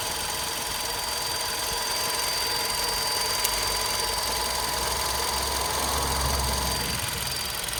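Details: VW Golf 6 Comfortline 122 TSI idling hot, with a fast, faint ticking rattle over a hissy background; the noise appears when the engine is warm and its cause has not been found.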